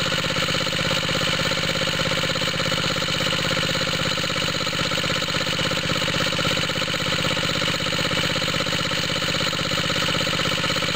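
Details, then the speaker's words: Small water-pump rig engine, cold start with choke on, after fitting an exhaust tip: steady rapid idle with a raspy, hissy edge over the exhaust beat. Owner suspects a head gasket leak, smoke from the side of the head. "I think a head gasket leak right around here. I keep seeing smoke coming out of here. Almost sounds like that makes it throatier."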